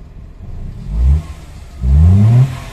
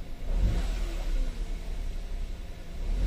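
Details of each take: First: 2015 Hyundai i10 automatic that previously cranked without starting, now running: two quick throttle blips climb cleanly and drop back to idle without stumbling or rattles. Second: 2015 Hyundai Grand i10 automatic with check-engine light, brought in cranking but not starting; after confirming the fuel pump works it starts. Low rumbling rev swells and sags unevenly, a palpitating, misfiring sound; it tends to die again.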